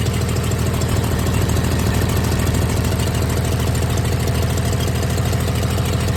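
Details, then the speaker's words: 1996 Dodge 2500 diesel idling cold, still burning off oil after turbo failure: loud lumpy idle with steady fast ticking knock over the clatter; shakes, always ticked cold and idled rough, smoother once warm. "you can see it's uh definitely shaking a little bit and uh this thing is always when it was cold it had a tick to it and it bized doesn't aisle real smooth when it's cold but as you warm it up it gets smoother"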